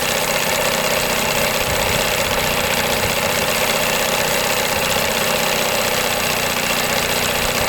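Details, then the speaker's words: 1982 Evinrude 9.9 hp long shaft two-stroke outboard after paint, new thermostat, water pump and crank seal, idling in gear with the mixture screw at one and a half turns; busy even idle, no stumbling or bogging, normal idle in gear. "Put it in gear. I have it at turn and a half, and it is just perfect."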